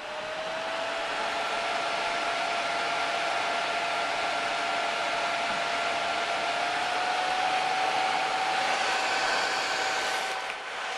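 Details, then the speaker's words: PS3 console with the recommended replacement fan (APS-226) installed: after power-on the fan whoosh and whistle climb steadily to near maximum speed; fan running excessively fast, cause not confirmed. "When you turn the unit on, the fan steadily increases. Even though it does boot up, the fan is now almost at max speed. It's probably one maybe one or two notches below max."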